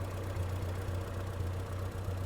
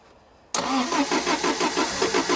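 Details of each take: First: 1975 MG Midget 1500 after fitting an electronic ignition kit in a 45D distributor, fixing its starting problem: low, steady tick-over at 650–700 rpm with even pulses and no misses. It is idling smoothly, lower than it ever has. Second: 1975 MG Midget 1500 with a starting problem, spark plug tester fitted after the rotor arm was reset. It cranks, catches and runs lumpy with missing beats while the spark weakens off, a misfire from weak spark; the old coil is tried next.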